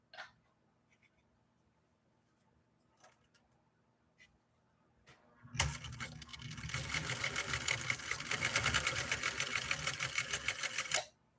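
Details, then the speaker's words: Nordic Husqvarna Automatic sewing machine stitching canvas at a steady even stitch, about three stitches a second, with a faint click as the automatic clutch re-engages; working normally. "Okay, if you listened real closely, you could hear a little click, and that's that clutch kicking back in again."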